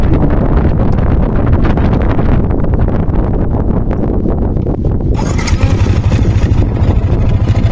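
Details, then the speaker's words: Sniper 155 at idle right after a new aftermarket manual cam chain tensioner was fitted. Fast, clattering ticks over a chugging idle because the tensioner is still too loose and needs tightening a little more. Cam chain rattle from a loose tensioner. "mapapansin nyo yung ingay nya, maluwag pa yan. So kailangan natin higpitan pa ng konti."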